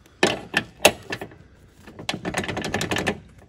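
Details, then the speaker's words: Harley-Davidson Road King Classic rider backrest (part #52583-09A, mounting kit #52587-09) on a 2008 FLHRC: irregular hollow clunks in quick bursts as the backrest is rocked. Its sloppy spring-loaded mount lets it knock side to side. "you can see one of my big complaints which is the substantial side to side motion in this back rest right you can hear that it's clunky"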